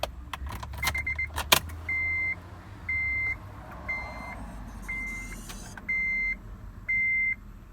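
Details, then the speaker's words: Salvage-auction Acura TL with engine off, after a dead battery was jump-started. Sharp high chirps about once a second while the lights flicker, horn disconnected: the anti-theft alarm has been triggered. "As you can see, how it's flickering like that. That's the anti-theft. The lights are going off and stuff."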